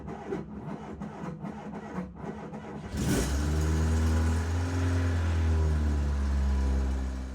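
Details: Fiat 238 van after months in storage, engine cranked with a newly fitted battery (the old one dropped to 12 V while cranking and had a dead cell): uneven cranking, then it catches cleanly and settles into a steady, even idle. Normal start.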